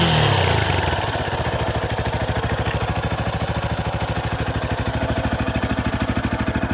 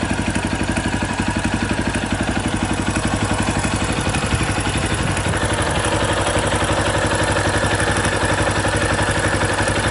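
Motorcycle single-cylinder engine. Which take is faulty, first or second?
second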